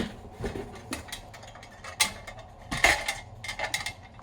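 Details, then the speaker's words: Victoreen CDV-700 6B civil defense Geiger counter, replacement tube fitted, no check source: sharp irregular clicks about one per second from background radiation; tube working. "and already I'm hearing a click every now and then which will be from background radiation"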